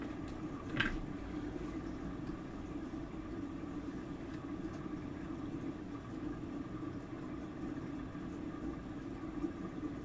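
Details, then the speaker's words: Apple HomePod being tested for parts: one sharp pop right after power-up, then a steady low hum; amplifier DC offset popping. "Okay. Sounds like some pretty standard DC offset symptoms. Not too exciting there."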